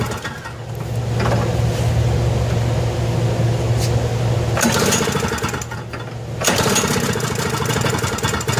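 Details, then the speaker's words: Lawn-Boy Insight single-stage snow blower, complaint of surging rpm: two-stroke buzz that seems a bit hard to start, then off choke the idle speed drifts up and down mildly; owner's fuel quality suspected, carburetor not yet checked. "so it seems to start a little bit hard maybe at first here but once it's running and off choke the rpms they bounce a little bit but nothing too wild makes me wonder about the fuel quality and the type of fuel that the owner is using in the machine"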